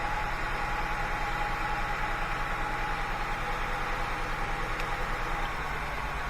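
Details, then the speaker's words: Honda Accord 3.0 VTEC V6 with misfire codes P1399/P0301 at rough idle, cylinder 4 coil unplugged: idle turns loping and the rpm drops. This balance test shows the coil is good. "I heard the RPMs drop off so I know this coil is good engine does better when I put it back"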